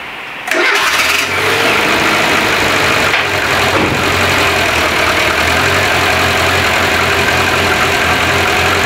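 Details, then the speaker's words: Van jump-started with a Topdon JS2000 booster, battery previously around 11 V (10 V with ignition on): brief crank, catches almost instantly, settles into smooth steady idle without strain; alternator then shows 14 V; normal start. "Le JS 2000 a fait redémarrer mon véhicule. Et t'as vu, il n'y a pas forcé."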